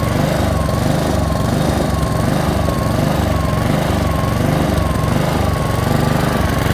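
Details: Honda HRX217 lawn mower engine surging, with speed swelling and sagging about once a second; fixed by cleaning the carburetor.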